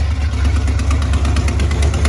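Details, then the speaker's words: 1987 Ford Bronco XLT, cammed 351W with headers and straight-piped duals, no mufflers: deep, lumpy V8 idle with a sharp tick in time with the firing. Exhaust leak at the passenger-side header gasket, which needs replacing. "they pick is just an exhaust manifold lead what are the headers gaskets needs replaced on the passenger side"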